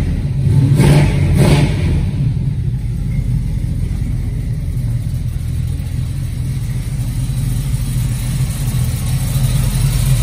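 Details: 1969 Camaro with headers, true cold start after a couple of pedal pumps. The big engine catches after a short crank, blips, then holds a deep, steady lumpy idle: normal cold start.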